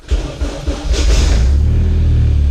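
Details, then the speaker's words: Civic, cold start in a 41°F garage, battery at 11.5 V, starter and flywheel worn: uneven cranking bursts until the engine catches and revs into a steady drone after long, reluctant cranking. "Batteries, 11 and a half volts. It's gonna take a minute. With my starter, my flywheel, whatever's all junked out."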